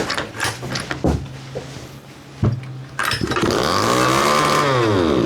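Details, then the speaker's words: 1/5 scale RC Baja two-stroke after swap to a short-needle carb from a new 29cc Baja, untuned base settings: fires, revs then sags, hanging high at idle with clutch engaging low; lean on low end, possible misfire. "Oh, okay, that is a little bit too lean on the low end. Man, this clutch is kicking in so low."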